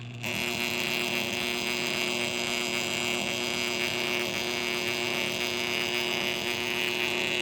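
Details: Motor running at constant speed with a steady hum and a thin, high ringing whine over it; bad bearings in this motor.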